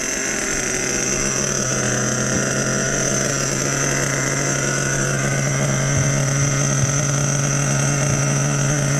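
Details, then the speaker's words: Nitro RC truck being run in with an OS No. 8 glow plug, idle turned up half a turn: fired right up, small glow engine holding a steady high-pitched idle without surging or stumbling. "I have an OS number 8 glow plug in there. Fired right up, boys. Fired right up."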